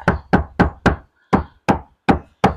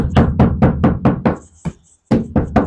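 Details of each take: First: Hyundai Stargazer roof panel tapped after Vtech sound deadening installed; eight dull, short, deep knocks quickly damped with no ring, sound now denser and more solid. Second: Hyundai Stargazer roof panel tapped bare with headliner and seats removed, before Vtech sound deadening; hollow, tinny knocks about twice a second, thin steel with no damping. Owner complains of toll-road cabin noise, rain noise and heat.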